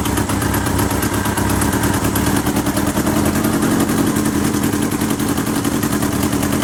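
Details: 1977 Kawasaki KZ650/Z650 B1 four-cylinder, air screws 2¼ turns out (manual says 1½), second-hand starter fitted; busy idle with ragged, slightly uneven exhaust pulses and clattery top end; carbs still need syncing.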